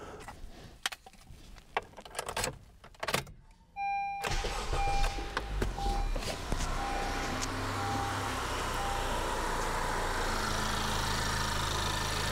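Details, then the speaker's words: 2013–2017 Honda Accord 2.4L after replacing the bad belt tensioner/idler pulley (Gates 39339): the engine fires and settles into a smooth, quiet idle with no belt squeal or chirp. "wow what a difference very quiet"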